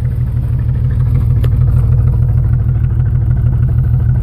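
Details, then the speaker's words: 1996 Jeep Grand Cherokee Laredo straight six 4WD at idle, recorded at the exhaust: heavy low chuffing with uneven pulses and dropped beats, engine shaking, rich-smelling; all cylinders misfiring, cause unknown. "okay this is a nineteen ninety six grand cherokee laredo straight six four wheel drive having some extremely rough idling issues and i will demonstrate that for you now"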